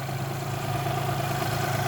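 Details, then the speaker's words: Geo Metro small engine idling after a head gasket, new manifold and new water pump. A faint steady whine rides over the exhaust and is louder when revved; the owner had noticed whine from the water pump, whose belt seemed too tight. Source unconfirmed. "there's the wine so it's got a little bit of wine going on I'm gonna address it later but I think she's drivable"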